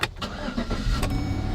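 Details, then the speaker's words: Chevy Silverado V8 pickup idling just after start-up. An even, smooth V8 rumble settles into a steady idle with no ticks or knocks. The engine is healthy. "Well, what do you hear? You hear a V8 engine humming along. You can use a lot of gas, but they're good engines."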